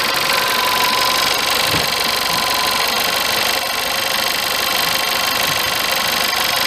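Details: VW Polo 1.2 TSI 66kW petrol engine idling cold with a busy, tinny rattle over a thin, hissy running sound; cause not stated.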